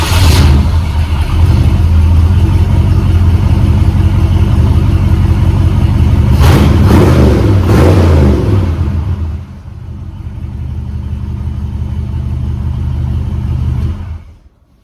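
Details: 1977 Ford F-150 Ranger, factory 460 big-block V8, stored indoors over 20 years, cold start: fires and settles into an even lope, revs cleanly and returns to idle with no knocks or misses, with a little black smoke on revving.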